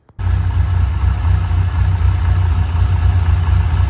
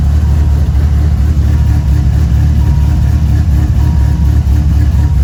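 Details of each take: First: 1997 Dodge Viper GTS V10 after a tune-up with new spark plugs: fires up and settles into a deep, steady idle with no stumble. The earlier misfire is gone. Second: 1997 Dodge Viper GTS V10 after new spark plugs, wires and oil: deep, uneven, loping idle with stumbles, engine still shaking; persistent misfire, coils suspected but tested working, cause unclear.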